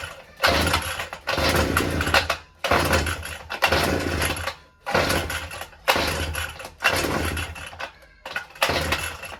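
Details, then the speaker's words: Brush cutter two-stroke hard starting for about a week, carburettor blamed by owner; engine roars in short bursts about every 1.5 seconds then cuts out, struggling to catch and keep running during repeated pull-start attempts. "ഇതിന്റെ പ്രശ്നം കാർബുറേറ്റ് തന്നെയാണ് മനസ്സിലായില്ലേ കാർബുറേറ്റ് ആണ് ഇതിന്റെ complaint"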